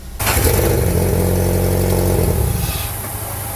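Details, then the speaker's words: 2009 Hyundai Tucson 2.0 petrol, first start after top overhaul with timing belt fitted, engine not fully reassembled: brief crank, catches at once, smooth even idle with no misfire or tapping; valve clearance 0.015–0.020 left unadjusted. "So i-start natin, first start nya. Okay, okay, patay. So okay na yan, umandar na siya, bubuuin na"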